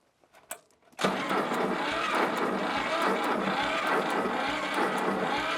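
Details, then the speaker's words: Old Shibaura diesel tractor, sat for years, starter looks old: turns over slowly and laboriously at about three or four compressions a second without catching; the starter is suspected weak and will be pulled and tested. "Well, this starter sounds really weak to me. I'm going to pull it, test it out."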